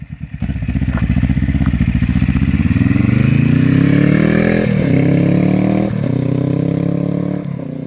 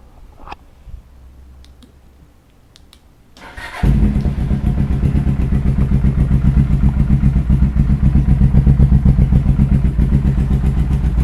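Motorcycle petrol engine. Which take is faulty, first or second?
second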